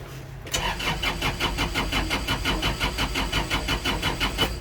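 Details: Kubota L4330HSTC HST tractor: starter cranks steadily, about three beats a second, but the diesel never catches after an intermittent stall; a relay clicks underneath and the HST pedal switch flickers on and off. Cause suspected, not confirmed.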